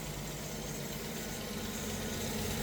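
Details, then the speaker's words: 1989 Jeep YJ with a Weber carb, running rich and fouling plugs, just after the electric choke wiring was fixed; air filter off, engine not yet warm. Even idle with a light rapid ticking over the exhaust note; valve clatter. "Sounds like she's running pretty good actually, minus the valves clashing together."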